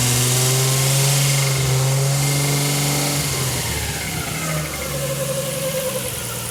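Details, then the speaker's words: RB-powered (GT-R engine) Datsun 240Z with turbo and ITBs on the dyno, inlet cam reverted: revs drop into steady even idle, knock gone, only a harmless belt noise at the front; normal idle. "but that's no noise now agreed yeah that's no noise the belt noise at the front not worrying that's what I'm hearing the yeah that's that's okay"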